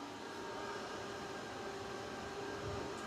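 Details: Home backup-power inverter with battery, load increased from 380 W by switching on water pump and kettle: quiet, even fan rush with a few faint steady whining tones and no rattle; cooling fan running normally under heavier load.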